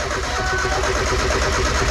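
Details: Miata nearly finished build, wires just reconnected: steady rapid even starter chugging with no catch, engine turns over but won't fire; firing order later changed and then it started.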